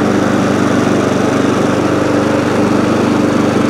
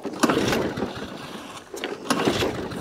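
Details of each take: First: ATCO lawnmower, about 21-inch, Briggs & Stratton engine, after cleaning corroded HT lead: steady even buzz at constant speed, no misses; runs, though it stops when drive released and throttle jammed, drive cable suspected worn or rusty. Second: ATCO rotary mower with Briggs & Stratton engine, pull-start; fuel coming out of air filter, possibly flooding; three or four isolated pops after each pull then dies, won't keep running; spark plug suspected failed, not confirmed.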